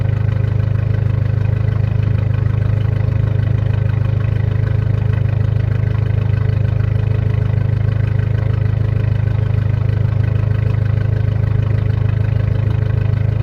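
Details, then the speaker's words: Just-reassembled car idling after first start: loud deep steady idle with even puffing about three times a second; owner suspects a bad exhaust leak, likely downpipe without gasket and bad gaskets further back, unconfirmed. "And it actually sounds like a really bad exhaust leak. So we probably should have actually done the gaskets."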